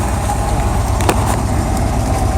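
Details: El Camino engine at idle, no valvetrain noise, a slight rattle possibly from the exhaust: a steady, even, low idle rumble with no misses, knocks or ticks; it sounds healthy, suggesting good bearings.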